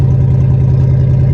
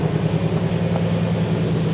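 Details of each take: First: Cadillac limousine abandoned 10 years, catalytic converter cut out of the exhaust: very loud, deep, blatty unmuffled rumble at a steady idle; loud exhaust from missing catalytic converter. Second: Cadillac limousine abandoned 10 years, night start after a new exhaust flex pipe was fitted: deep, steady low rumble with an even pulse and no misses or knocks, some rattling in the exhaust; normal idle.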